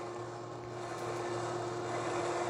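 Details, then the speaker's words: Litter-Robot 3 self-cleaning litter box during its cleaning cycle, globe turning back to return clean litter from the upper pouch: steady low motor hum with faint whir, even and unbroken; normal drive noise, though this model is noisier than the Litter-Robot 4. "And then, what it will do is all the clean litter, which is in that pouch up there, I believe, that will come back down and then sit at the bottom of the dome again."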